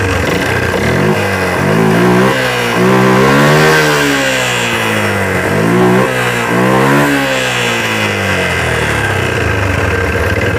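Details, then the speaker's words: Yamaha Jupiter MX 135 single-cylinder at first start, white exhaust smoke: rough revving with a dull knock around the piston/middle of the engine rising and falling with revs; knock from oil starvation. "kita hidupkan dulu di sini ada suara ketukan itu ya di bagian pistolnya atau di bagian tengahnya ini ada bunyi ketukan belum saya cek ya"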